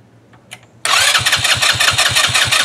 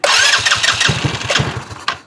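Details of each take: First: 2018 Trailmaster 150 XRX dune buggy, previously non-running, after a battery replacement and a new replacement carburetor: brief crank, then it catches straight away and settles into an even, steady idle. Normal start and idle. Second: 2018 Trailmaster 150 XRX with known carburetor issues, new battery, cranked with brake pedal pressed: quick even cranking pulses with a few weak sputters that never catch; won't start, carburetor suspected.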